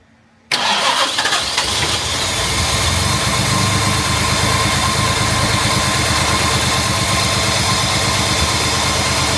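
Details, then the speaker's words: Jaguar MKII during reassembly, starting: engine catches and settles into an uneven, stumbling idle with irregular beats; sounds like a misfire, not confirmed. "that sounds like it's misfiring"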